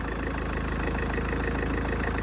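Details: Salvage Range Rover first started after a front-end rebuild: started a little loud, then a smooth, even, quiet low rumble at idle with a steady beat and no knocks, ticks or misses; healthy idle.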